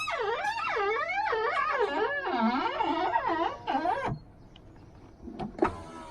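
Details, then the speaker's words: Used car power window after WD-40, silicone grease, rubber refresh and lubricating the motors: wavering motor whine with squeaky rubbing as glass travels; no difference, suspected worn top window rubber needing replacement. "i've lubricated everything in the motors still sounds like the rubber to me at the top i don't know what you can do other than replace this i guess"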